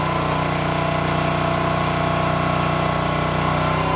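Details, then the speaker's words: New Honda GX200-clone single-cylinder engine on a finished Split-Fire 2265 wood splitter, pump mounted: steady even beat about three firings per second, no misses or knocks; normal running. "Got the motor on, got the pump mounted, had it running at idle, led the hydraulics a little bit. Everything seems to be working just fine."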